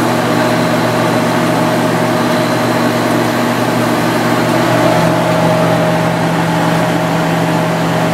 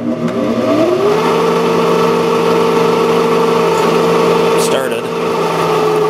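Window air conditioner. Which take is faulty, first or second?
second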